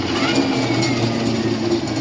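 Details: Uwinfly N9 first-generation electric scooter (separate motor, not hub), three years old, Nanjing Fardriver ND72360 controller: even mid-pitched motor hum with a light gear whir, no double beeping or cutting out; running normally after the faulty throttle grip was found.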